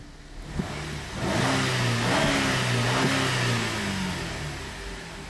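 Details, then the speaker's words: 2008 GMC Acadia 3.6 L after repairing lean codes P0171/P0174, cause a plug: trims good, O2 sensors switching, no misfires recorded. Engine revs up smoothly and settles back without stumbling, hissing or misfire; normal revving. "okay our lean code is fixed okay the engine is no longer running lean"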